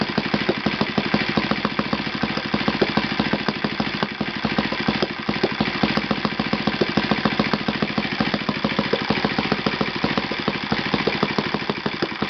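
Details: Yamada (Futaba) YS F 120 four-stroke glow engine on a test stand after a full rebuild (combustion chamber buildup, piston and ring problems), Yamada No. 4 plug, tuned over 3-4 tanks: fast crisp even firing holding steady, no misses or knocks; normal running.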